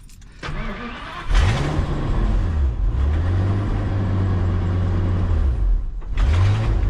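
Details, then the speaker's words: Ford Super Duty dump truck V10 started after exhaust and muffler replacement: much quieter, but a light tick sits under the exhaust rumble as revs are blipped, from a suspected exhaust manifold leak at the heads. Exhaust manifold leak tick. "There's definitely a tick there. But at least she's not rip-roaring loud like she was."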